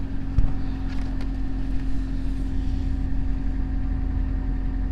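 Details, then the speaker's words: Honda CRX (ED8), cold engine after throttle body swap fixing a vacuum leak, no trouble codes: smooth, even idle with steady low hum, no misses, hunting or stumbles; RPM steady. "So yeah, that's pretty good. RPMs look nice. It's pretty steady."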